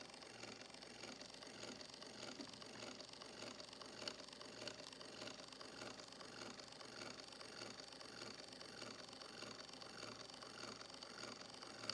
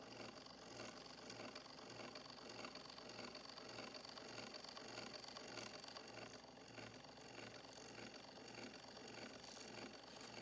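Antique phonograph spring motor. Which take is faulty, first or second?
first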